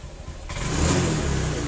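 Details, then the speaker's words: Honda Vario fuel-injected scooter (125/150/160) being repaired for slow, delayed throttle response: after the fix, revs rise smoothly as the throttle opens and settle back without stumbling or hesitation; engine speed now follows the throttle in rhythm. "so for the engine rotation with this gas it has to be in rhythm, yes and in this section"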